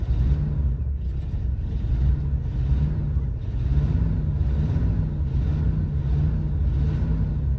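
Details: Chevy car cranking and revving: long stretch of deep, uneven churning and lumpy running without a clean catch and settle; struggles to start, behaving like a flooded engine.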